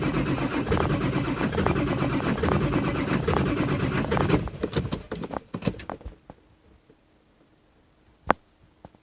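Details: 2000 F550 7.3 diesel at about 60°F, owner says it needs new injectors: steady starter churning for about four and a half seconds with no catch, then it winds down; long-cranking hard start, cause not confirmed.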